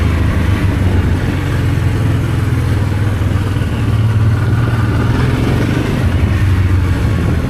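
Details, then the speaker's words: Honda Transalp V-twin on its first start after carburetor rebuild and reinstall, throttle cable tension fixed: deep, steady thrum with an even beat, no misses, knocks or surging. Runs perfectly after the repair; normal running. "And now it's time to give it a test run. And it runs brilliant as you can see in the video."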